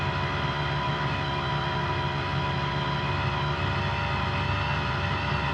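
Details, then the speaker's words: Brand-new Hangkai 3.5 HP two-stroke outboard (30:1 premix) just started, in neutral: steady, even buzz with no misses, surges or knocks. It is running cleanly. "all right she starts up uh seems to be running pretty good"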